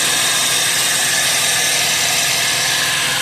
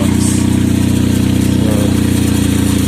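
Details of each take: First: Chevy Traverse at idle after repairing the loud exhaust noise caused by broken-off exhaust brackets and a hole, by welding and re-clamping: smooth, steady soft hiss, no rattle or leak puffing. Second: Chevy Traverse on remote start: loud raspy idle with a deep steady pulsing from an exhaust leak where the exhaust bracket weld broke off, leaving a big hole.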